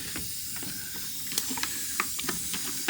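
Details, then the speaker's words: Boost leak test on a turbo LFX-swapped Volvo 240 wagon at about 40 psi: constant sharp hiss with light clicks as something lets go; the fuel pressure regulator is also leaking, and the exact leak spot is not yet found. "I don't know if we found a boo leak but I definitely created a boo leak so about 40 lb to her and that thing went"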